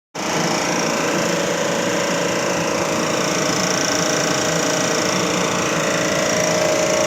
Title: Blower abnormal sound Complete repairing work 9654127134